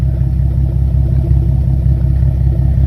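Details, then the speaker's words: Nissan 370Z 3.7 after Motordyne Art Pipes install (dual exhaust, one resonator): deep, steady, smooth idle rumble, quieter and with less rasp, no knocks or rattles. "just look at that it looks super dope it does sound a little bit quieter it's not as loud"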